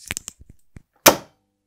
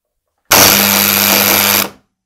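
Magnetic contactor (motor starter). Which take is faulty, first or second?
second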